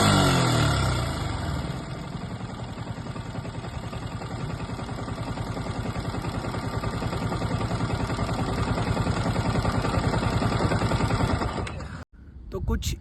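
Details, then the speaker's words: Yamaha R15 V3 single-cylinder at idle with a sudden irritating noise: low, rapid clattering rattle about three per second, steady throughout; cause was the faulty one-way clutch. "बहुत ही irritating sound है। मतलब ऐसा डर लग रहा है कि engine कहीं ब्लास्ट ना हो जाए या इंजन में कुछ टूट-फूट गया है।"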